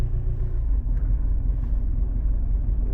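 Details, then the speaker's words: Diesel engine, rough idle: low rumble with uneven lumpy beat and cabin vibration; owner suspects an injector, cylinder cut-out test shows cylinder 3 not working. "можливо Ну ні по чому не видно цих поштухів хотів би я показати щоб щось в салоні видавало що вібрація ну по звуку чуть ще є вібрація чуєте салон весь вібрує"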